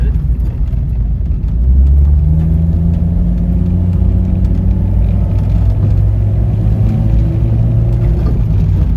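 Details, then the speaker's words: Toyota Celica first run after a head gasket job and no-start fix: low, uneven rumble with a wavering drone that never settles; rough running, suspected vacuum leak, distributor then adjusted. "Sound like a pretty nasty vacuum leak."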